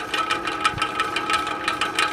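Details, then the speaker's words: Ceiling fan at medium speed: steady high whistle with an uneven dry clatter of several ticks a second. Worn bearings are blamed, and the fan needs oiling. "but you can hear that noise that's definitely the bearings"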